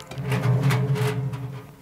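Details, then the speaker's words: Washing machine, drum turned slowly by hand: rough, gritty rolling rumble with a low drone; worn drum bearings whose balls are no longer round, drum also binding. "вот этот звук означает что шарики у подшипника они уже стали не шариками а квадратиками и за этого такой звук неприятный"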